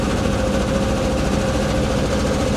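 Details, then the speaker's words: Camaro V8 just after fuel pump install and fuse replacement, running badly: rough uneven idle with a lumpy beat and dropped pulse, traced to a cylinder 5 misfire on the rear driver's side; cylinder misfire. "Now, what I did do after getting fuel pump installed, you recall I cranked it up and it was running badly."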